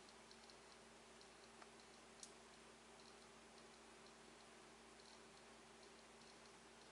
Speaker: vamos botar aqui para 200 volts Ok então ó e continua fazendo barulho